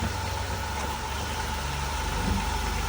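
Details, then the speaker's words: 2006 Dodge Caravan, 3.8 V6, started right up with a jump: smooth, even low idle with a steady rumble and no knocks or misses. Engine sounds healthy. "Sounds pretty good. Has the V6 in it, 3.8 V6."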